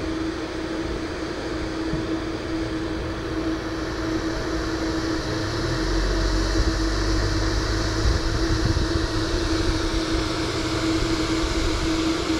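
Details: Dometic RTX 2000 AC after replacing both condenser fans and fixing the board fuse: steady fan hum with constant tone, joined midway by a lower drone as the compressor starts; condenser fans running normally.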